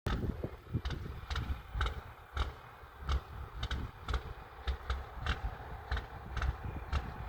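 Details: Big-rig diesel truck smoking badly, pulled over idling with occasional revs, later driving off slowly with no power: an uneven idle with irregular sharp bursts and surges over a low rumble. Running rough, cause unknown.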